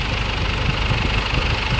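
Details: 2011 Ford Everest diesel that died while driving, repaired by replacing broken rocker arms and timing belt without a top overhaul. Steady, even diesel idle with low regular clatter, no misses, knocks or surges; healthy.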